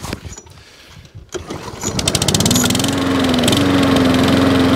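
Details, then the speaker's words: Free 21-inch Wolf lawnmower after fuel tank venting cured; pull-start rattle, then engine picks up and holds a smooth, even run at steady pitch; normal running. Drive still not working. "Ah, another free mower up and running."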